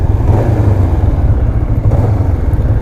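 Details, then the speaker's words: 2005 Kawasaki Ninja 500R twin, 22,000 miles, revived after 10 years sitting, after carb synchronization; steady even low thrum with no misses or stumbles, super smooth and well balanced. "Super smooth since that synchronization."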